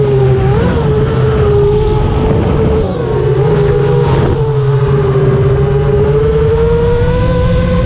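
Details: FR7 FPV quad in flight after tuning with D-min removed, Iterm relax cutoff 10, RPM filter on: clean smooth motor whine rising and falling with throttle, no raspy resonance that D-min had caused; motors healthy.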